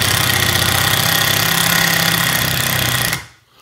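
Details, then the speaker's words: Black+Decker 20V Max impact driver, which has no clutch, driving a screw into wood: rapid, loud rattling clicks as it hammers and rotates the screw at once, then stops. This is normal operation. "that you hear that clicking what's happening is it's pushing every time it clicks it's like almost it's like almost hammering the screw and rotating it at the same time"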